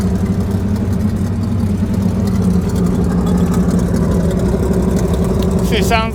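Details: Chevrolet Suburban V8 finally running after a crank-no-start saga, with rings said to be shot: a deep, steady idle with a slight choppy lope, all eight cylinders firing evenly and no misfire. Normal idle.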